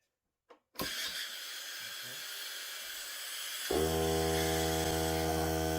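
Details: Hart cordless battery air compressor during testing, tank at about 30 psi with a hose connected, no leaks heard: air hiss first, then the motor kicks in with a steady, even hum and buzz at constant pitch; normal compressor running.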